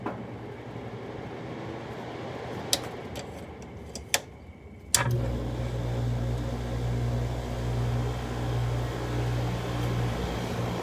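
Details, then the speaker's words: LG window air conditioner, 5,000 BTU, with a rotary compressor, started on fan. A few sharp switch clicks, then the compressor kicks in to a smooth, steady low hum with no rattle, the fan also silent. Normal running. "So the compressor startup. This one has a Quingen rotary. Start on fan. The fan is silent too."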